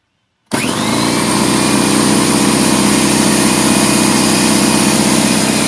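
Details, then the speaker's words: DeWalt 4.5-gallon portable air compressor, 200 psi, 5.2 SCFM at 90 psi, 1.8 hp 15 A motor, on a 20 A circuit, brought in as no-start: motor kicks in sharply and settles into a steady even drone with fine quick pulse, no knocking; running normally. "well there you go that one there actually sounds like it's working good"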